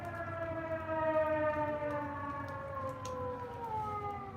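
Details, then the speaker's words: Three T128 outdoor civil defense sirens sounding, possibly a first-Monday monthly pager test or a fire: several loud wailing tones overlap and slowly slide down in pitch together. "There's 3 of them going off, 3 T128s. It could be the first Monday of the month pager testing, I think."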